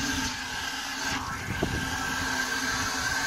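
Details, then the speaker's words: Sprinkler system start-up, second ball valve opened slowly just a little: steady hiss of water rushing through the pipes with a faint constant whistle as the lines pressurize; normal fill. "So I'm going to turn it on just a little bit, and you can actually hear it pressurizing the system now."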